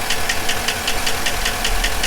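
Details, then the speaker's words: 2007 Chevy Silverado 1500 5.3 with cylinder deactivation (DOD), codes P0304 and P0300: sharp even tick about five per second over rough idle, cylinder 4 straight misfire; collapsed lifter condemned, compression test next. "As you can hear, it's got a little tick going on. Cylinder 4 has a straight misfire. I've already condemned the lifter."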